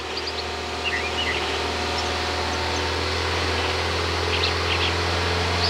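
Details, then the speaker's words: 2015 Honda Accord 2.4L GDI engine during CRC GDI intake valve cleaner spraying through a vacuum source. Revs held around 2500 rpm with short bursts of spray; uneven beat with dips as speed wavers. Engine stumbles while cleaner is sprayed; check engine light flashed. "I'm going to raise my rpms to about 2500 and then short bursts and every time I do that I can hear the engine stumble a little bit"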